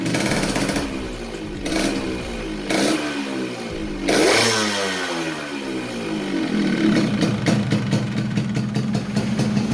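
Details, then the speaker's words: Yamaha RX King 135cc two-stroke after repairing a compression and oil leak between head and block: crackles and blips through a few revs, then steady, even idle with no leak hiss; healthy normal idle. "Oke untuk motornya sudah dalam keadaan hidup kita coba lihat pada bagian heatnya apakah dia bocor"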